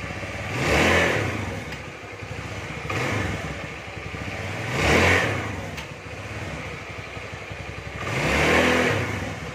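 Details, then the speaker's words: Carbureted Honda Beat scooter after CVT repair for no power and slipping: three clean throttle blips revving up and falling back to idle with no slipping or flaring; power restored, no more slip. "Oke kawan sudah dipastikan nih tenaganya Mantap lagi enggak tanya enggak selip lagi"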